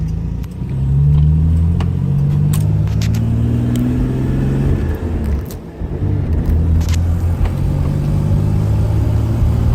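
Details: L36 Grand Prix (GP) misfire under acceleration, some runs with a BOV and some without; exhaust note stumbles and drops out in uneven gaps under load; cause not identified.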